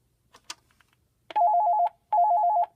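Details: Extension phone with an electronic ringer, on a Panasonic TA824 hybrid PBX, called from another extension: two short bright warbling bursts of about half a second with a brief gap; normal ring.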